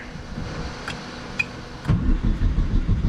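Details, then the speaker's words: Long-sitting 600 hp Phase 5 2005 Chevy Cobalt race car with fuel leaks, first start attempt in the rain. Starter grinds slowly with a few sharp pops and heavier cranking, but no catch yet. Cranking, no start. "Okay. Come on. Oh, we got some pops. Ooh, we're getting close."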